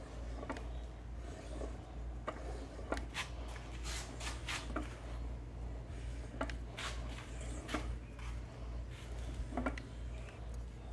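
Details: 1986 Evinrude 20 HP outboard with 0 PSI compression in one cylinder and 30 PSI in the other, head and covers removed, turned slowly by hand; loose, irregular clicks about once a turn suggest worn connecting rod bearings, unconfirmed, and it sounds worse than in person.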